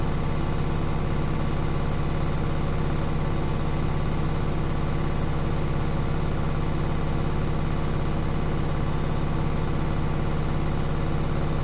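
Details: Beko washing machine, bought 9 months ago, quiet for first 6 months: spin cycle gives steady low hum with fast regular ticking, three or four a second, despite levelled legs and added vibration dampers.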